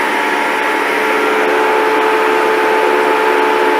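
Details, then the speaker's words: 1932 Ford sedan's electric cooling fan running on the car's battery and its proper earth, drawing about 10 amps: strong, even rushing whoosh and steady hum with no rattle or wavering. It sounds more powerful than when earlier run from a battery charger; running well. "It's blowing good actually. I think I only tried it with a battery charger on before and it didn't sound very powerful, but that sounds pretty powerful now."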